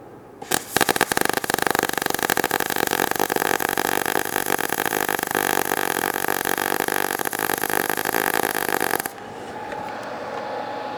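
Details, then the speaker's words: MIG short-circuit welding, wire feed speed lowered another 30 below the 90 A baseline: dense, uneven, thinner and rougher crackle for about eight seconds; smaller weld, still decent transfer, sounds odd but useful for thin sheet metal. "smaller weld, still a decent transfer as you listen to it. It's starting to sound weird, but believe it or not, that is a very useful condition for sheet metal, thin stuff."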